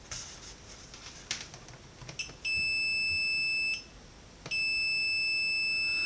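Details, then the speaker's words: Roberts R900 radio, made about 1985, under repair: after the suspect diode was desoldered and measured okay out of circuit, a continuity tone of about a second, a pause, then the tone again shows the supply-rail short is still present; something else is causing it. "Yep, the short's still there."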